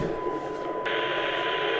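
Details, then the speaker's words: Yaesu FT-2312 1.2 GHz transceiver receiving a weak modulated generator signal. A steady tone sits under a loud constant hiss that should not be there; a VCO signal fault is suspected: excessive receiver noise floor. "There is a tone and apart from the tone there should be nothing audible but we have here a very powerful background, let's say it is a noise background, a large noise background that is superimposed on the Dem signal"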